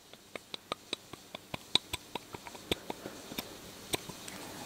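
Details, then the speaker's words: Ford Model A distributor: a new shaft is rocked in a new aftermarket distributor body, giving light sharp clicks about four a second. There is play between shaft and bushing at both ends, looser than preferred but usable. "let's play on a shaft and the bushing same with this side I'll suffer through it as is but if if it were me I would much rather have them be tighter than this"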